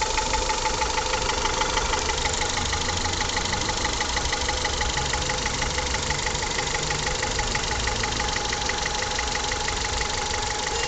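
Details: Honda Accord F20B (CF4) engine at idle: light, regular ticking knock about three per second over steady idle; owner asks what is knocking, cause unknown.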